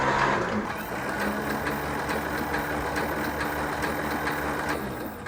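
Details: 1977 Cessna 310Q sitting 20 years, starter test with mags off and plug leads out; even, regular cranking beats over a constant motor whine, no grinding or slipping; normal starter cranking.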